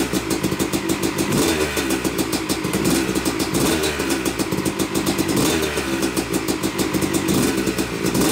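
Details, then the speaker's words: Yamaha YZ250 two-stroke motocross bike (250cc/270cc), first start after a full bottom-end, transmission, clutch and power valve rebuild; took a few kicks, heavy smoke from assembly oils, both normal; crisp crackle rising and falling with throttle, fires cleanly; healthy. "well it runs it runs i'm i'm uh yeah i'm pretty tickled about that i mean it took a few kicks to get her going which is normal and you notice a lot of smoke and that's normal too"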